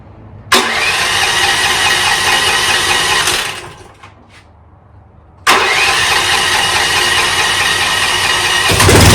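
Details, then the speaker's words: 2024 Chinese stand-behind skid steer with a starting delay issue, fuse replaced and choke used: cranks briefly, catches and runs steady and fairly even, then restarts cleanly. The small engine starts fine. "so it starts it starts pretty good uh no complaints with that"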